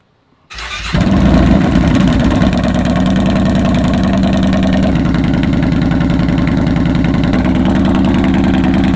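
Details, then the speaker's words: 2015 Yamaha Bolt R-Spec V-twin after Vance & Hines exhaust baffles were installed on an exhaust that had been running baffle-free; catches after a brief crank and settles into a smooth even idle, cleaner than the earlier lumpy Harley-like sound. "Sounds better. Sounds like it's idling a lot cleaner."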